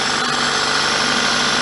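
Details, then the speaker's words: 1999 Toyota Celica ZZT231 idling just after battery reconnection, following sealing of holes in the cold air intake with two layers of glue (not fully dry); steady even idle, only faint airy hiss, no leak noise, sounds healthy. "I just unplugged the battery and now plugged the battery back in up here so apparently supposed to wait at least 30 seconds before revving the engine anyway I can't hear any air leaks now"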